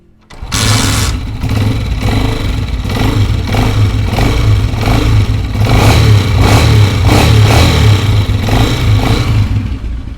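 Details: Honda CG125 single-cylinder after adjusting a pin with a screwdriver to cure engine noise: starts promptly, quick throttle blips rise and fall cleanly over a steady thump; runs smoothly with no obvious rattle.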